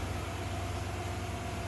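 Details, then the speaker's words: 1996 Ford 5.0 V8 from a Bronco, morning start after losing oil on the trailer ride, owner thinks an oil change will do: smooth, even low rumble, purring with no ticks or knocks; normal warm idle. "She's purring like a kitten."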